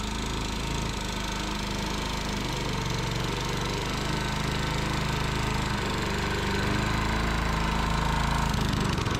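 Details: Tecumseh single-cylinder engine on a Sears Eager One lawnmower, restarted after a makeshift fix shimming the knocking connecting rod with beer-can metal; throttle halfway; steady even drone, clean exhaust beat, knock gone: normal running.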